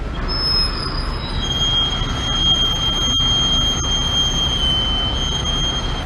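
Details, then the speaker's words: 2011 Chevy Camaro, brakes replaced about 5,000 miles earlier: piercing steady squeal from one wheel caused by a small stone trapped between the brake dust shield and rotor; removing it fixed the noise. "Oh, yep. It's that classic rock in the shield. You guys got it. Whoever said that, they got it."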